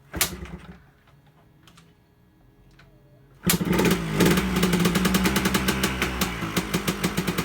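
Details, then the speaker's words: 2001 Yamaha Blaster two-stroke, sat for years, after cleaning clogged main and pilot jets and refilling with new fuel, started on choke: catches after a pause into a quick crisp even buzz; sounds good, normal running. "so there you have it guys sounds pretty good to me so here she is running my 2001 yamaha blaster my keys sounds good"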